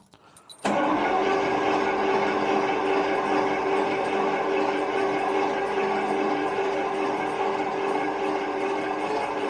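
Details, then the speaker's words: Carbureted 1975 Jaguar XJ12 V12 in the workshop, max choke, fuel pump sounding wrong or a valve possibly broken: steady, fast cranking for nearly ten seconds with no catch; pressure is building, owner suspects the chokes aren't working, starting fluid is next. "My guess is that the chokes are not working really on it, but we'll see if we can get it going."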